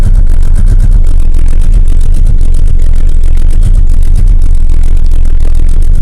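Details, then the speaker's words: Volvo 480 that dies almost immediately after starting, engine recently apart: phone clip of it running about 40 seconds on only two cylinders, loud, rough, lumpy uneven beat; two-cylinder misfire. "So, I noticed yesterday that the car was running on two cylinders. It was running for a little while, like 40 seconds, but only on two cylinders."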